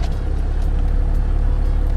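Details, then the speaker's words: 12-valve Cummins diesel truck after sitting two or three days: slow, heavy, lumpy idle around 500 rpm, almost stalling; idle speed set too low. "I'll start it up and see that the idols really low it's usually lower than that in it like idols at like 500 RPM and basically it almost sounds like it's running but it wants to stall"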